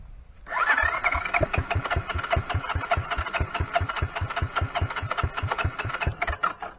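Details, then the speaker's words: 1983 Honda Big Red 200E ATC after new carburetor, cranked with no choke: starter churns steadily with a few weak firing pops but never catches. Owner suspects fuel system or CDI box. "but I mean it sounds like it was so close to wanting to fire up"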